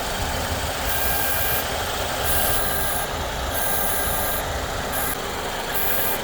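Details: 2014 Ford Escape 1.6L at idle: thin, very high buzz cutting in and out every second or so from the externally controlled variable-displacement clutch AC compressor, appearing only after the AC has run a while and pressure builds; owner unsure if normal.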